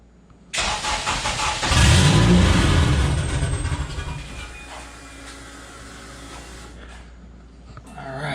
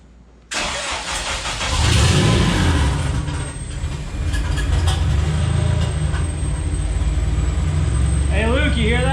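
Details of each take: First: Porsche 996 911 first fire after a JDM K24A engine swap, primed and started with remote tuning: engine catches with a rough burst of low firing, surges briefly, then dies within seconds, giving a small puff of smoke, which is expected on first start. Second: Porsche 996 911 with a fresh JDM K24A swap: engine catches, revs briefly, then settles into a steady, even idle with no ticks or knocks, 60–63 psi oil pressure; sounds smooth and healthy.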